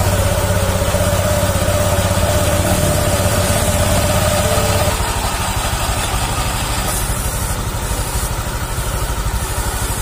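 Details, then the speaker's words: Honda Vario 150 LED (K56) scooter CVT after cleaning and reassembly: steady low idle thrum with smooth, even pulses and no rattle or grinding. The earlier rough knocking is gone and the CVT runs normally. "Oke, di sini sudah sangat halus, sudah enak seperti semula."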